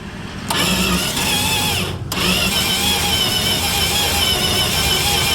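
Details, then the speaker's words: Dodge 318 V8 that died while driving, has spark and fuel, new ignition coil fitted, ether tried after cooling: steady cranking with sharp coughs and brief firing attempts that die, exhaust popping back out the carburetor; won't start, suspected something catastrophic, unconfirmed. "I think we have something a little bit more catastrophic going on I don't know if you can hear that or not but I think we've got exhaust blowing up out of the carburetor"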